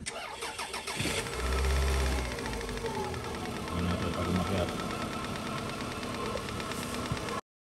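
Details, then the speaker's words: Engine starts and idles after switching from thick oil to thinner 10W40: fast, uneven knock about four per second over the hum; source undetermined, suspected piston pin, engine to be opened, top end first, if noise persists. "Pero pag hindi, piston pin. Yung ingay kasi na yun, sabi ni Chip, mukhang piston pin eh."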